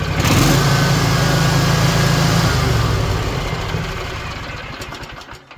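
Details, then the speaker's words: Rebuilt Kawasaki FR730V V-twin on Cub Cadet mower that lost power after engine got wet, now running on both cylinders after repair: strong even high-speed run winding down smoothly; normal running. "It's already faster. Got my air filter on backwards just so I don't get jumped on. Yeah, we fixed it, man."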